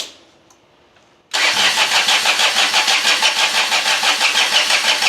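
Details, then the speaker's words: John Deere 455 diesel lawn tractor after fitting a fuel shut-off solenoid: starter churns steadily about three beats a second, smoking, engine never catches, glow plug light off; suspected bad glow plugs, it started earlier when jumped. "it's not starting smoking a lot now it's got a glow plug light on here right there in the middle and it's off it's cranking hard them glow plugs might be bad cuz it started before you saw it when I jumped it"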